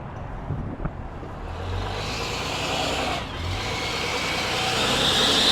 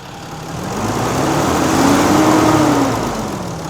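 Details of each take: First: Cummins diesel work truck at idle: a hissy, high-pitched, belt-like chirping squeak over the engine from an exhaust leak at a warped exhaust manifold flange. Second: Cummins diesel work truck, 239,000 miles, after exhaust manifold replacement: even diesel clatter revving up and settling back smoothly at idle, no puffing, ticking or squeal; sounds healthy, repaired.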